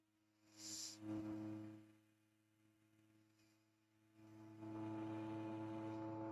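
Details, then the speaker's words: Pandora's Box 3D printer with BigTreeTech M8P, EBB36 CAN bus and Cartographer, running an input shaper resonance test on the X axis; a steady low hum swells loud around 104 Hz as the sweep passes, normal resonance behaviour. "wow, is that getting loud. Hey, wow. Can you guys hear that in the background? You hear that loud ass hum? We're only at 104 hertz."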